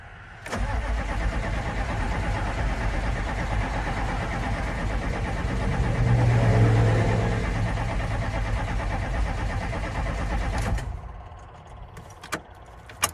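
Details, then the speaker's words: 1995 GMC 3500 HD 6.5L turbo diesel cranking after the injection pump replacement: steady, even cranking about four turns a second for ten seconds, never fires. Crank no-start; owner suspects air in the pump and checked the fuel solenoid connection. Cause not confirmed. "okay folks I'm starting to get a little bit worried here all right so I've double checked a few things uh the connections this guy here this tall fellas the fuel solenoid I was talking about I made sure that's plugged in"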